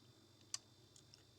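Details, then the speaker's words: Refrigerator whose freezer works but bottom section is not cooling: faint sharp ticks as the defrost timer is advanced by hand with a screwdriver, before the big click that switches off the compressor. "it's clicking now but you that's not the click you want to hear that's a click hear that big click yes it means it turns off a compressor compressor is no off"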